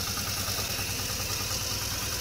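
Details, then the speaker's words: 2004 Jeep Liberty Renegade, very high km and no oil change in over 100,000 km, cold start after -30° nights, battery very low: rhythmic low thump, uneven pulse, hissy top end; miss on one bank, suspected collapsed lifter or dropped rocker arm. "there's a miss on this side of the engine let it run don't shut it down your battery's real low"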